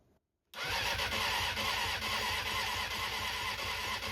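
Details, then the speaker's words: Honda CBR600F4i cranking after reconnecting the tip-over sensor in the headlight wiring so the fuel pump primes: starter churns with an even, slightly labouring beat, about two turns a second, engine nearly catches but never fires as the battery weakens. "So, the engine was turning over for quite a while and then it did start to sound like it was about to kick into life, but then you could hear the battery was starting to struggle as well."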